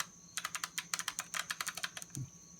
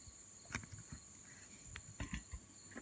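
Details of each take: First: Passenger power mirror from a Mercedes-Benz W126 S-Class, motor bench-tested on 12 V; rapid dry clicking with no movement, so the gear motor is shot or stuck. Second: Mercedes-Benz W126 S-Class passenger-side power mirror, after disassembling and repairing the stuck internal gear motors, bench test run: two-second burst of steady, even electric whir with clean buzz, starting and stopping crisply; motor works.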